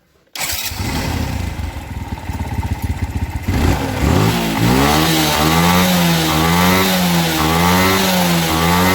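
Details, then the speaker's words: Suzuki Smash motorcycle after repair for heavy fuel consumption, black exhaust smoke and no idle: starts rough and lumpy, then settles to a steady healthy idle with slight pitch wander; normal idle. "oke langsamnya langsung enak stabil tidak mudutudutudut gitu ya"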